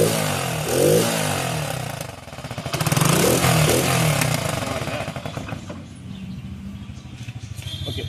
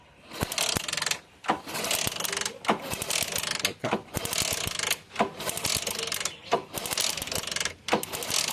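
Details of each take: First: Motorcycle: engine catches, revs up and down cleanly, then settles to a steady, even idle with no misses or knocks; running normally. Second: Motorcycle kick-start cranking without starting: repeated kick strokes about once a second, each a ratcheting mechanical whirr, engine never catches; cause suspected, not confirmed.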